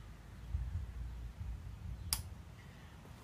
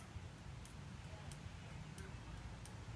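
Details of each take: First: 1973 Honda CB750 with original turn signal relay, before electronic relay upgrade: a few sharp clicks at uneven intervals, delayed, inconsistent flashes — inconsistent turn signal relay clicking. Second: 1973 Honda CB750 after replacing the original turn signal relay with an electronic relay: crisp, evenly spaced ticks about one and a half per second, more consistent than the original relay's delayed, irregular flashes.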